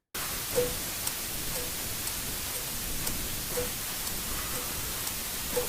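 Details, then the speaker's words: Swatch MoonSwatch quartz chronograph: loud, annoying tick-tock, sharp regular ticks about twice a second over a steady hiss; owner finds the movement very loud, especially with the chronograph running. "Also, it is loud. It is very loud. You hear that tick-tock?"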